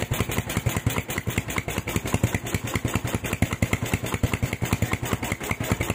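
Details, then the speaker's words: Tiger standard factory engine with PWK 28 NGO carburetor, fatter GL Pro needle fitted: slow uneven single-cylinder idle with soft hiss between beats, still wet and rich at idle, though rpm no longer hangs when revved. "Oke lur, untuk jarum yang GL Pro ini tadi ternyata hasilnya untuk stasionernya masih terdengar ngeses ataupun basah, tetapi untuk layerannya itu nggak gantung lur, RPM-nya nggak gantung."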